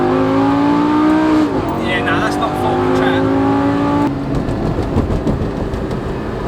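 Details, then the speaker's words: Lamborghini V10 revving after a backyard repair: it sounds lumpy and thin like a V8 and lacks power. A cylinder or two is suspected out; the owners suspect a coil pack or wrongly done spark plugs. "It sounds like we're a cylinder or two possibly out. Um so we'll have to double check that when we get back to the compound. It's lacking on power. It's not running right. It sounds like a V8, not a V10."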